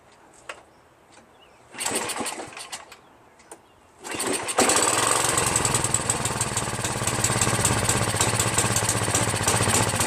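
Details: Craftsman 5.5 HP OHV 26-inch snow blower after carburetor cleaning, governor adjustment and recoil handle replacement: a few recoil pulls with choke, then catches and settles to a steady, even putter; starts and runs normally, idle screw needs raising.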